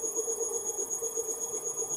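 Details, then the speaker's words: Three-phase motor with mislabeled, miswired leads, run with no load from a drive at about 4 Hz: slow steady whine with a bump each turn, and over-current with a bumpy start at higher settings; rough running from miswired motor leads. "I'm gonna start it I have one more time so I can make it run in each direction there's like there's a bump in there"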